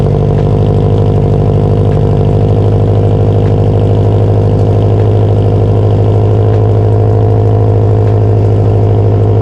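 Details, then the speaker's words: Subaru STI after rebuild, newly running with exhaust being fitted: steady idle with a faint, uneven tapping over the engine drone; knock of unknown source, heard loudest at the clutch fork by stethoscope, later went away. "all right so while the knock did finally go away couldn't figure out what it was"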